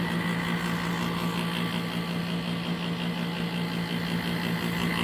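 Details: 2003 Kenmore R22 window air conditioner, hard-starting compressor, dirty coil, running about 5 minutes: steady loud hum with rough rumble; owner hopes bearings aren't failing, cause unknown; loud compressor running.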